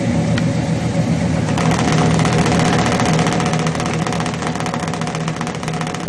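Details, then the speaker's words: Chevrolet 350 V8 with long-tube headers, failed intake manifold gasket on valley side: loping, uneven exhaust beat at idle with irregular tailpipe pulses; power balance test showed cylinders four and six weak, misfiring from the gasket leak. "to have an irregular note and a regular amount of exhaust pulses coming out of tailpipe"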